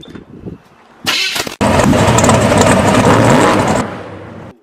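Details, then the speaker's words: Rebuilt small-block Chevy 350 in a truck, first start on sprayed carb cleaner, low battery, exhaust off: a short sputter, then a loud, ragged roar for about two seconds before dying; rough, sputtering start. "Alright guys, so now that we got her actually running, we heard her, she spit and sputtered, but she finally picked up some RPM."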